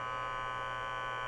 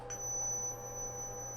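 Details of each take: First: DIY CNC with 120 V VFD-driven three-phase spindle, controller unplugged, sensor picking up ambient EMI: constant buzzy hum with high ringing edge, like fluorescent lamps; ordinary background electrical noise. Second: DIY CNC router, controller unplugged, tone-tracing wand picking up the air: when the spindle switches on and speeds up, a thin high tone jumps higher and gains a hissy buzz; spindle electromagnetic interference that makes the X and Z stepper axes jerk.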